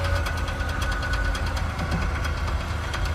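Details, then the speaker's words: Three-speed truck on the road, no bed. A quick, even ticking knock over engine and road rumble keeps pace with speed; a zip tie on the driveshaft is suspected. Rhythmic knocking while driving, cause not confirmed. "okay so it did you put a zip tie on the drive shaft maybe that's probably what it is let me go look that's probably what it is somebody put a z tier drive shift"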